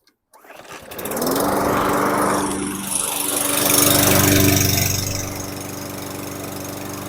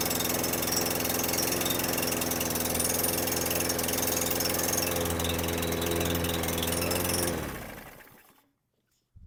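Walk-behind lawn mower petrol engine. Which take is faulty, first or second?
second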